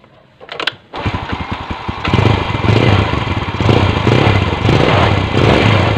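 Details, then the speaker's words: Yamaha Vega R New, hard to start in the morning, weak pull: fires after a few cranks, then runs with an uneven, breathy, weak beat; dirty carburetor. "Nah untuk suara sedikit ngempos ya Masbro untuk mesin Masbro nah ini ngepost Masbro"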